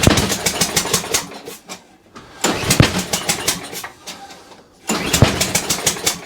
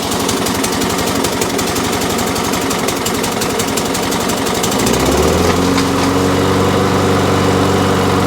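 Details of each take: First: Toro Recycler mower after a new spark plug, on choke, first start: bursts into life in ragged spurts that die away then catch again; rough running on first start. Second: Toro Recycler petrol mower after new spark plug, on choke: catches after a rough start, then settles into a steady even run; normal, likely had just been standing.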